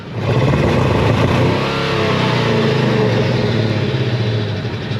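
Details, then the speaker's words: Old Ford F150 4.6 V8 floored from idle: it climbs to a loud, strained, rough, uneven roar with no clean pull. The engine has a knock and misfire, with a rotten-egg smell, and is judged not worth fixing. "don't worry you're worst thing you can do is blow it up and it's already kind of blown up here we're trying to look yeah that doesn't sound good"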